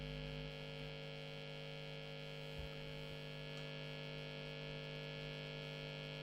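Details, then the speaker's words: Late-1980s Hiwatt 100R Trinity tube guitar amp with the lead pulled out: a loud, steady low hum with buzzy overtones fades in and out. Excessive hum, suspected dry joints, cause not yet found. "pull out the lead I've got this horrendous honey and you can hear it fading in and fading out"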